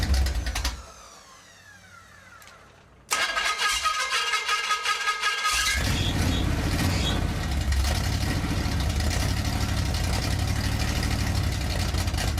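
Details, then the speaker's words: Rebuilt Pontiac 400 V8 on a stand for cam break-in in cold weather, running a carburetor borrowed from a Mustang: starter grinds, then a loud, lumpy, uneven idle; rough idle, owner suspects a major vacuum leak on the side where three cylinders are not heating up. "What this thing's telling me is it has a major vacuum leak. Like huge vacuum leak."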